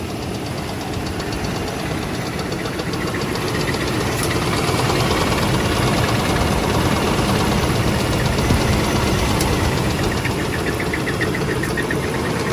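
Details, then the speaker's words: 2001 Oldsmobile Bravada bought at auction, idling with the service engine light blinking and oil smoking: a regular light knocking of about 3–4 per second, tied to engine speed, plus a possible metal-on-metal squeak. Bottom-end failure is suspected, possibly near lockup, not confirmed. "definitely not happy. No. That squeak makes me nervous. Yeah. That could be metal on metal squeak. I'm afraid it's going to end up needing a motor."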